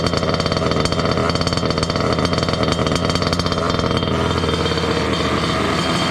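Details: Water-cooled two-stroke Goped scooter, new coolant pump: fast raspy idle hanging high and steady; running lean from an air leak at the unplugged pulse line to the other pump; plugging it made idle drop.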